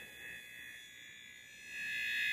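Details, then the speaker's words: TI-99/4A console scanned with a signal tracer pickup near the switching circuitry by the edge connector: thin, high steady whistle swelling louder as the probe moves, the high-frequency switching noise also heard in the audio output. "we got some switching circuitry here and you can start to hear some of the high frequency noise that is characteristic when you're listening to the audio output"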